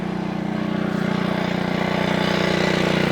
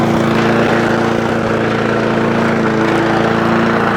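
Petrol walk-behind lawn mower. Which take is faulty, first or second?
first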